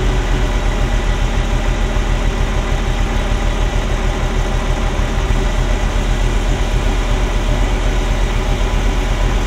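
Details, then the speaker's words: Ferrari Mondial V8 at idle, timing out, popping on start; uneven, lumpy idle with a loping stumble about once a second, like an old marine engine; misfire on cylinders 5-8, owner suspects a sensor, unconfirmed. "sounds like an old marine engine at the moment. There's a thrumming that there shouldn't be, so it's uneven."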